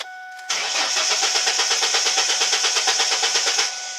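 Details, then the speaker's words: 2000 Mustang cranking with a replacement engine computer installed but keys not yet programmed: starter spins steadily for about three seconds, roughly three beats a second, with no firing; crank no-start, immobilizer not programmed. "I'm gonna show you right now that it doesn't start up"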